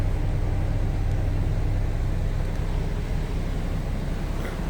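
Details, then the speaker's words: 1925 Pierce-Arrow Series 80 Opera Coupe, manual transmission, push-button floor starter: low, soft, even rumble with no knocks or misses, oil pressure up; old engine idling nicely and healthy. "Push button right there. Manual transmission. You can hear it fired up, idling nicely."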